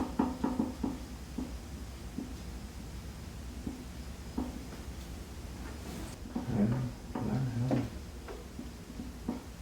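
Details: Secretlab Omega 2020 Edition chair, used a little over two months: scattered light clicks and short low creaks when shifting position while seated, a newly developed noise in a quiet room; cause not confirmed.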